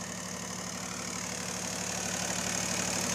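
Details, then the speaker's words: Bombardier MPV-20 tractor, diesel three-cylinder with four-wheel drive and rear PTO, hood off: even, steady diesel clatter at about three beats a second, no misses or knocks; clean, healthy normal idle. "It's a diesel three-cylinder. I've got the hood off right now, but you can hear it idles really nice."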